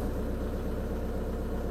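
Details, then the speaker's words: Audi A1 diesel (called a 1.9 TDI) idling without throttle right after a fuel filter replacement and purge. Even, steady diesel clatter with no misses, knocks or hunting; the system is purged and it runs cleanly. Normal idle. "Et puis pepper. 3 litres de V6, brrr. 1 litre 9 TDI, bonjour."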